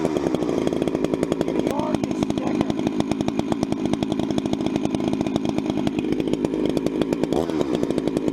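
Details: Vintage 266 chainsaw, recently started after sitting a while, bucking firewood: strong, even note pulling through the wood without bogging; normal, healthy running under load.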